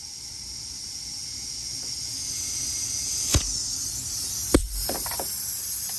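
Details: BMW N54 single-turbo boost leak test: steady high-pitched air hiss with handling clicks; leak at the MAC solenoid and the T51R mod area, pre-boost side, to be sealed with JB Weld.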